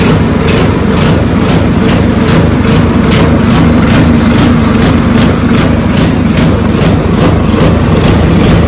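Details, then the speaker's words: Snowblower small petrol engine, electric start, throttle at rabbit (fast): quick, uneven pulsing surge; owner believes it runs lean and the carburetor needs replacing; tank clean with slight sediment. "The only thing that I can determine so far on this is that it just uh needs the carburetor replaced uh cuz it seems to be running lean. So, if you get this problem with the surging, check this out."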